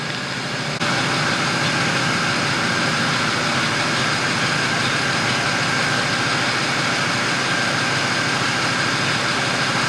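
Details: Car, hard cranking with no start: fast, steady starter churn, engine spins evenly but never fires. Pressing the gas while cranking changes the tone and bogs it slightly; owner suspects it needs plugs or isn't getting enough fuel.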